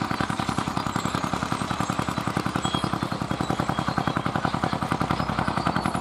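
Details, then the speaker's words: Vintage Fiat hot-bulb (testa calda) tractor, possibly 55, 60 or 70 hp and weighing about 50 quintals, ploughing at a festival: crisp, evenly spaced single-cylinder beats at about two per second, steady under load. A healthy hot-bulb engine. "Senti come batte Senti come batte è un testa calda senti senti che spettacolo Settimo Che spettacolo come batte bene"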